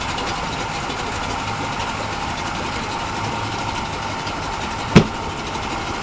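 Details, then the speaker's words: Yamaha 40 hp two-stroke outboard in a test tank, after a carburetor cleaning, with a damaged prop that was straightened. Steady, even pitch with no misses or shudder and one clunk at the gear shift; fairly smooth in reverse. Normal running in gear. "um all right so that's what the carbs cleaned up seems to run pretty good"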